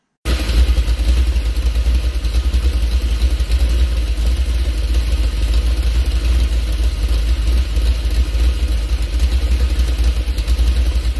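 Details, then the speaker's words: 406 small-block Chevy, Summit 1203 cam, Vortec heads, dual-plane intake, about 9.3:1 compression, 800 rpm, 22° idle timing, after swapping in Rhoads lifters: deep steady V8 rumble, even pulse, no misses; smoother normal idle. "so you'll notice right away how much different that idle sounds with those Road lifters so the roads lifters are doing exactly what they're what they claim they do it's bleeding off duration at idle so it's smoothing out the idle"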